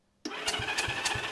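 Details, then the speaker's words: Honda CA78 305 Dream twin, sitting unridden since 2010, cranked on the starter with spark plugs out for a finger-over-plug-hole compression test: strong, even chuffs about every third of a second, steady and matched, showing healthy compression. "let's give it the old finger in the hole test that sounds good sounds good"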